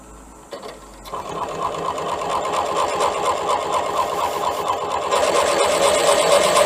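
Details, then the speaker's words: Drilling out a damaged, extremely hard sludge trap plug in a BSA A10 crank with a 15mm Irwin TCT-tipped metal drill bit: steady motor whine with gritty chatter about twice a second, fine chips; bit labouring, owner suspects weld, not a plug. "you can hear how hard that is to drill. You can see the fine chips coming off it."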